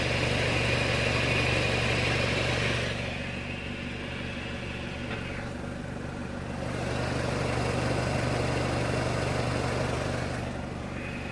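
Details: 2006 NC Miata Limited Edition at idle with the clutch pedal pressed, fitted with a Flyin Miata clutch kit: a gritty, hissing grind comes and goes; a failed bearing is suspected again.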